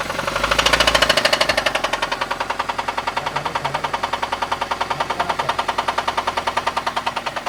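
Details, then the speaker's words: Toyota Avanza engine, possibly damaged by oil sludge: sharp regular metallic knock about 3.5 per second over idle; worn rod bearing, mechanic won't drive it, fearing con rod breaks through block. "ini enggak berani buat jalan Pak kalau ini dibuat jalan takut saya nanti ee stangsernya patah itu ngenain blok mesin blok mesinnya pecah"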